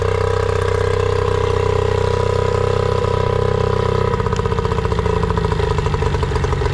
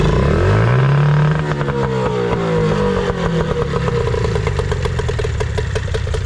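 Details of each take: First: Nissan 18 hp two-stroke remote-start outboard after carb and fuel filter cleaning: idle steady then turns ragged with wandering speed; accelerates fine but idle inconsistent, idle pilot/mixture screw suspected. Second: Nissan/Tohatsu 18hp two-stroke outboard after carburetor tuning: the idle air mixture screw was turned about an eighth of a turn. It revs up cleanly, then settles into a steady, even idle with a light rattle. Idle and throttle response are right.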